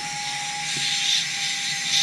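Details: Mini FPV freestyle quad after fixing a bad connection on an extended motor wire that caused twitching: smooth, steady high-pitched whir from all motors, no stutter or rasp; motors spinning normally.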